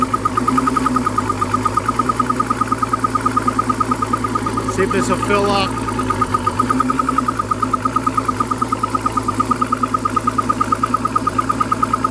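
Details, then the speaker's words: 1991 Crestliner ProAm outboard running after sea trials with water flowing, four-beep low oil warning horn sounding rapidly about three per second; oil tank slowly filling, alarm recurring every few minutes. "all right truth be told it is filling up out there it is taking forever to do it however but it is coming up and the alarm does come off every few minutes"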